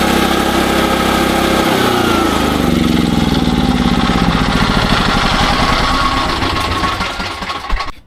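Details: SDMO 5000W generator with a Briggs & Stratton engine (about 18 hp), restored after a no-power complaint, load-tested with a 1500 W heater and a light: the pitch pulls down as load comes on, then settles into a steady, even beat. It runs normally.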